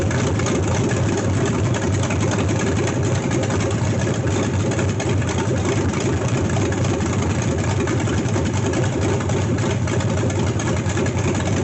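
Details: C3 Corvette with swapped LS1 V8, first start, fuel rail O-rings corrected, fans not yet connected, recorded in garage; deep steady muffled burble, no knocks, ticks or misses, sounds amazing; normal idle.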